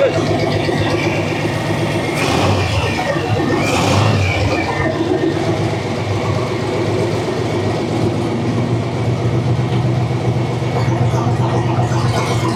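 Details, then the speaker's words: Model A sedan with a newly installed used engine, first start after hosing off and running the pump; catches and settles into a steady, loping idle with an even low beat; sounds healthy. "Well, I kind of hosed everything off, aired it out, run our pump. That sounds good."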